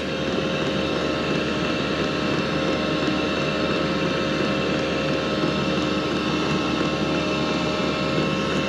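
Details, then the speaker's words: 2KW diesel heater (Max Speedy) in a VW T6 camper, first switch-on running at 2.5 Hz: steady burner and fan roar with no surging, no leaks; fuel pump ticking still audible despite fitted silencer cover, owner unsure it helped; running normally. "no leaks you can just hear that pump ticking as well so i don't know if that's actually made any different to the silencer"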